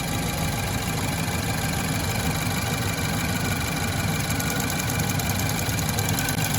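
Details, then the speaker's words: 2016 Land Rover 2.0 just after water pump replacement, started while filling and bleeding coolant with heater on high: steady, even idle with a smooth low rumble, no knocks or ticks. "okay let's fire it up so far everything's looking good"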